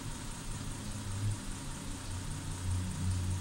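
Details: 2008 Hyundai Santa Fe at about 560 rpm idle: low, uneven lope with dropped beats; scan data shows misfire counter on cylinder 5, diagnosed with oscilloscope.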